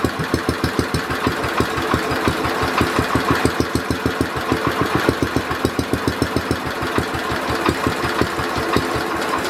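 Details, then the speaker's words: Simplicity Landlord 2010 tractor engine running after timing fix and new flywheel key: chugging with a sharp, regular knock on nearly every firing pulse, about three per second; owner suspects a rod knock, unconfirmed. "like I said I think it has a rod na which is not good something sounds a little bit off on the engine"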